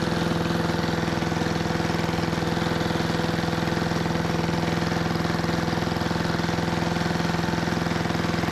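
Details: 1973 Giant Vac walk-behind leaf blower with Briggs and Stratton single-cylinder engine, revived from scrapyard: runs steadily at modest speed under load, never climbing to full revs; owner doesn't think it reaches full throttle. Cause unconfirmed.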